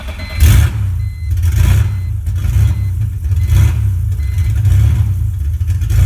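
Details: 2001 BMW E46 325i Touring with swapped-in 3.0-litre six from a 2002 330i and 5-speed ZF manual conversion, first start on open headers, no exhaust, no coolant yet: rough, uneven low rumble with loud open-pipe bursts about once a second; normal running.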